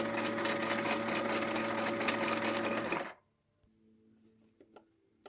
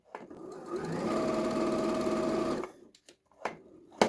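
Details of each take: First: Janome 2030QDC computerized sewing machine after lubrication. Smooth, even whirr with a steady rhythm for three seconds, then it stops; it runs cleanly with no grinding or clatter. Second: Used Janome 2030QDC computerized sewing machine running before any lubrication or service. A steady, slightly harsh whirring clatter about three to four stitches a second; dry running noise, needs oiling (suspected).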